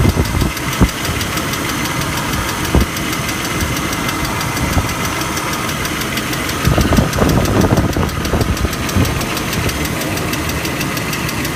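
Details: BMW E39 idling petrol engine: a fast, steady light ticking with a few louder knocks. The owner has just noticed it and does not know the cause.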